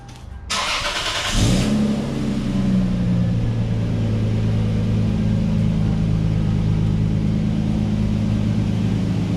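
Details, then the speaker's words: Lexus bought at auction, after repair of a power issue and refitting parts: cranks, catches quickly, blips once, then smooth steady low idle, no ticks or leaks; normal start and idle. "all right so it sounds good I'll put it back on the ground and everything get all the stuff moved out the way and take it for a test drive"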